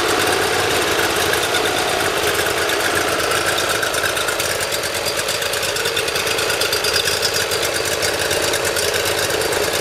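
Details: Briggs Intek V-twin mower engine, cold, on full choke after valve lash adjustment and an oil change: catches quickly without starting fluid, then a fast, even patter at steady speed with no surging or misses. Previously hard-starting and surging.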